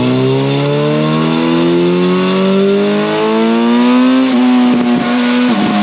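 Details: 2011 Yamaha FZ8 on the dyno with a Yoshimura exhaust, after stator and flywheel magnet repair, a sprint filter and small fuel tweaks to an earlier tune: smooth, quiet, even exhaust note climbing steadily through a full pull, no misses or knocks; healthy.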